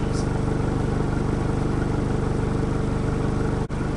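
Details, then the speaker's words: Rebuilt diesel truck: steady even idle, deep gruff exhaust beat at constant rate, no knocks or misses, quite grunty; normal idle. "From here and there, it's quite grunty, but I don't think it's going to be like yours."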